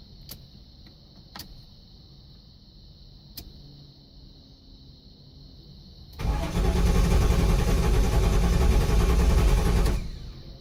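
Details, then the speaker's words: 1983 Buick LeSabre wagon with swapped LT1, first start without serpentine belt: a few faint clicks, then engine fires and runs evenly about four seconds before cutting out dead. Owner first suspected low fuel. "Aha. It ran, but it shut right off. Well, might just not have had enough fuel in it yet. Sounded okay for the couple seconds it was running."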